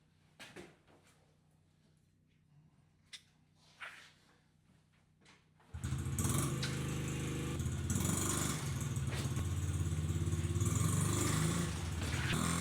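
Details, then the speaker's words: Honda XR50 single-cylinder after head gasket and air leak repair, exhaust silencer full of oil (owner suspects bike sat upside down): fires up and settles into a quick, even, steady idle with no knocks or stumbles; normal running. "Alright, so I got that piece of crap fixed. It runs."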